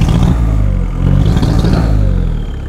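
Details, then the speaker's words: VW T3 bus (turbo engine) at 4,600 m in the Peruvian Andes, revved: rough, uneven thumping with no clean pickup; sudden power loss with white exhaust smoke, turbo seized so no boost; rough running and loss of power. "The turbo is stuck, completely seized. We have no turbo anymore, and therefore no boost."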